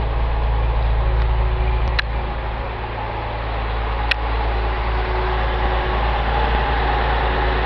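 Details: Datsun 280Z started cold during an alternator test (regulator holding about 14.5 V): steady low drone at a raised idle, about 1200 rpm, from the active cold-start air bypass valve, with no knocks or misses; normal cold fast idle.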